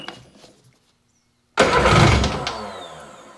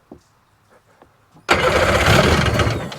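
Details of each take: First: 2001 Sea-Doo GTX RFI 787 two-stroke with the throttle position sensor connected: a sudden ragged catch that flares and dies. Plugs come out soaking wet with gasoline; the injectors are dumping too much fuel. Hard start from flooding. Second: 2001 Sea-Doo GTX RFI 787 two-stroke, throttle position sensor and fuel rail refitted, idle turned down after idling too high: faint clicks, then fires and settles into a steady, even lower idle; running normally.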